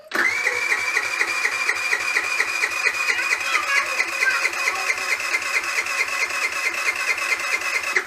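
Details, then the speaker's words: GY6 4T scooter at 900 km after valve clearance adjustment, cranking during a compression test: a strong, even chug about twice a second. Compression rose from 3 to 8 bar, still low but it should start; normal cranking. "przedtem było 3 bary 23 bary a teraz jest już osiem także 88 to jest widać mało ale już coś jest nie już powinien zapalić bez problemu"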